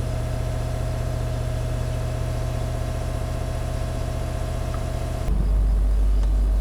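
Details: Range Rover L322 TDV8 diesel after new battery fitted and registered, charging 13.5–14 V: steady even diesel idle, low smooth thrum, no knocks or misses; running healthy, charging normal.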